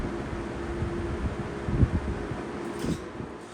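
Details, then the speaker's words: Lakewood 20-inch box fan: a low, labouring motor hum that sags and surges with a rubbing rumble as the motor struggles on dry bearings. "I'm not going to run too long those bearings are dry"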